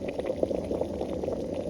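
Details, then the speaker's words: Mini 300 ml, 300 W electric kettle on a battery-station inverter, top lid piece removed: steady bubbling rumble with irregular pops and steam hiss as water reaches a rolling boil; heating normally. "And there it is popping out. It's steaming. You could hear it steam."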